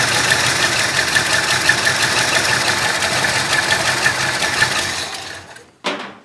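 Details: 1966 Ford Country Sedan, 390 FE big block with performance cam and used heads, notable blow-by; dull, sluggish, slightly uneven idle then shut off, owner suspects lazy retarded ignition timing; smoothed out when revved.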